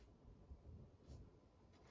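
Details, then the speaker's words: PS5 fan B held out of the console while a game runs: very faint steady low whir with no repetitive rattle, then one handling knock; owner believes the fan is poorly isolated from the body, causing vibration when installed. "normally if i launch astros playroom or any game the fan will kick up and holding it up that's quiet there's no repetitive noise that you usually get out of it"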